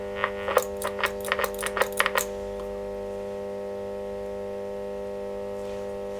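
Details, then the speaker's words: Selmer Little Giant valve amp being refurbished: after an old original valve socket was replaced the crackle is gone, but a steady low hum continues after the strummed notes. Owner suspects the main filter capacitor; not yet confirmed. "it's looking okay right so it's just hum really"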